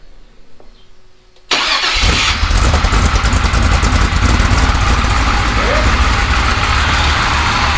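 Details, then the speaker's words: Rock crawler just after repair work, in a quiet shop: the starter catches and the engine fires up at 1.5 s into a steady, even idle with no knocks or misses; loud but sounds alright. "It's kind of loud though, ain't it? Like. Sounds alright."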